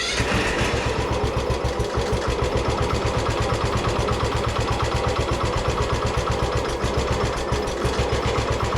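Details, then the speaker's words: Craftsman ZTS7500 zero-turn mower, Kohler Courage engine, sat about 3 years, just started after topping off oil; single-cylinder thumping, uneven and ragged, heavy exhaust smoke, won't run at very low throttle. "It's running pretty good. You know, a little smoke, a lot of smoke off the exhaust, but yeah, that thing runs. Won't quite run at super low throttle."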